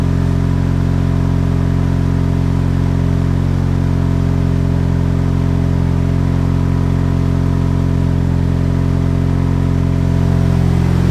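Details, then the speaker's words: Turbo Chevy HHR SS Ecotec, cold start in cold weather after sitting since October and being reassembled: brief sputter at startup, then a steady, even cold idle with a smooth low hum, no misses, knocks or hissing; normal cold idle. "seems okay all right so it seems like everything's okay as you can hear cars sputtered a little bit when we had to start it up"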